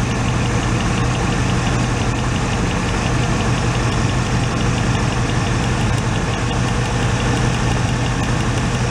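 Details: 1986 Oldsmobile Cutlass Supreme V8, warmed up, cylinder-by-cylinder grounding test: lumpy, uneven idle rumble with dull knock-like beat; grounding number three plug wire changes nothing, so cylinder three is suspected dead, its wire looking faulty.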